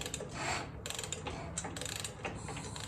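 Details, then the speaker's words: Gravely 816 tractor, likely old Briggs flathead, after spraying lubricant into cylinder: slow hand cranking gives uneven rasping metal scrapes each pull, quieting down afterward; scraping noise when cranked, exact cause unconfirmed. "the stomach it did a little bit make the noise at the beginning but it did quiet down which is great news"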